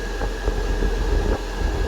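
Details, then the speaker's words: 12 V battery-powered parking air conditioner on a semi truck at full power and fan speed: steady rushing air with low constant hum and faint even tone, no knocks or rattles; running normally. "So it's cold enough, and if I take it on full speed, you hear the wind sound. Now it's in full power."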